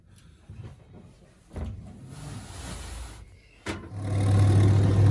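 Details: Zanussi TD200 auto-reverse tumble dryer, exhaust fan stopped blowing though it still heats; knocks as the dryer is moved, then a low steady hum never reaching a fan whoosh; exhaust fan motor failing, suspected to need lubrication.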